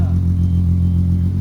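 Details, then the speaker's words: Fully rebuilt VW GTI VR6 after new exhaust with two center resonators replacing leaking exhaust; idle with steady deep smooth drone, much quieter, not obnoxious. Healthy exhaust note. "nice that sounds way better damn that sounds good sweet that makes me happy the exhaust sounds good it's not obnoxious"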